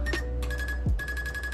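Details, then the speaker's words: 2022 Icebear Maddog Gen V scooter with Rolling Wrench electric fuel pump conversion replacing the vacuum pump; short pulsed high chirps with a thin steady tone at power-on; normal fuel pump priming chirp. "rolling wrench they got this diode in to where they think it's pretty good and then on the videos it makes like this chirping noise when you turn it on"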